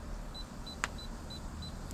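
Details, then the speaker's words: Moisture meter on a split piece of standing deadwood, probe on a funky part of the wood: short high beeps about three per second with one sharp click, warning of a high 21% reading; the dry middle reads 16.1. "sorry if I put it right on the funky part of the wood there beeping 21."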